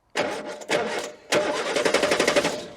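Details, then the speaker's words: Morris Minor unused for 9 years, no battery, fuel line disconnected, cranked by bridging the starter: three bursts of steady cranking with even compression, never catches; turns over reliably but the pump is empty, no fuel. "I'd say that's a Fairly reliable crank we've got going on there so let's return to getting the fuel um thing off fuel thing"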